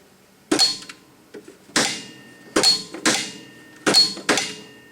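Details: Aftermarket Xtreme electric PTO mower clutch replacing Warner 521033, bench tested at 11.81 V on a cold engine: sharp metallic clacks in pairs, three engage-release cycles in five seconds. The clutch pulls in cleanly; the old clutch failed when hot.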